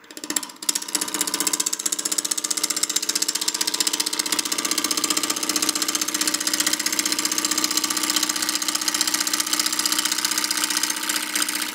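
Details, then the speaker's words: Woodturning lathe at about 800 rpm, roughing an out-of-round planter blank with a 1/2 in bowl gouge: steady gouge hiss broken by quick regular thumps about four a second as the tool skips the high spots; interrupted cut. "you can hear the sound it's making we're getting closer to round if I put the tool on the top it's skipping just"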